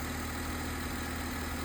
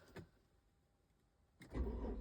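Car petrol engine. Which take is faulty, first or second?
second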